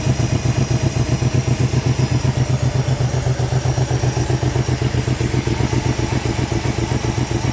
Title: L322 4.4 V8 random misfire due to coil packs 3 & 7 faulty ,